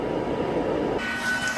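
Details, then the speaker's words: 1986 van heater: fan not blowing as hard as it should, spins back up as the heater tries to reignite, cycling repeatedly; steady airy rush shifting tone; owner suspects a clogged burner inside the heater. "The fan's not blowing as hard as it's supposed to. It sounds like it's actually kind of spinning back up right now. It's trying to reignite again, I think."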